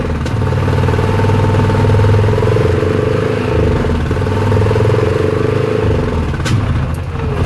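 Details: Repaired Yamaha Rhino 660 single-cylinder UTV in high gear with throttle; it previously sputtered and missed only in gear, traced to the speed sensor or its wiring. Steady pull with even firing, no sputter or stumble; normal running.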